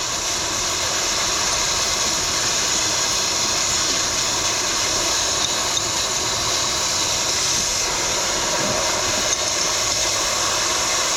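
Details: Semi truck drive tire, installing the tire equalizer hose on the valve between the duals before tightening: a steady, loud, even hiss of air leaking at the valve, said to be only a small loss during installation.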